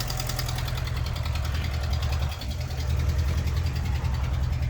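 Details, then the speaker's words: Engine run despite an ignored oil pressure warning light, with the block ruined from lack of oil. Heavy, deep knocking about three times a second over a rough idle, from bottom-end damage due to oil starvation. "did ignore that warning light, and the fuel is just as full. Wow, with a knocking engine, this is going to be a useless one."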